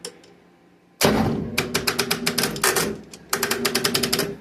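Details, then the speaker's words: Massey Ferguson 65 tractor, battery judged toast and unable to hold charge, start attempt with charger connected (key switch not working): rapid bursts of clicking chatter, engine never turns over; failed crank from weak battery. "battery is toast. It's no good. It It won't hold enough power to start it if it's cold or anything. It might start up, but I doubt it."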